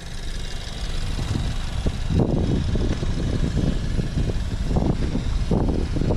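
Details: BMW F30 showing 6,000 miles, just started after a long struggle, idles steadily with irregular louder bursts rising over the engine note every second or so; an odd noise whose cause is unclear.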